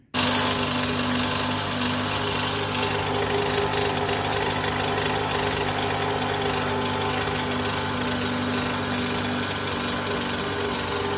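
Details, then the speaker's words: 2011 Toyota Vellfire ANH20, 2AZ-FE engine: steady coarse mechanical roar with hard droning hum, rough noise worst on cold start and fading when warm, traced to worn balancer shaft, recorded before replacement. "Nah itu tadi ya rekaman dari e suara mesin kasar ya dari balanerapnya"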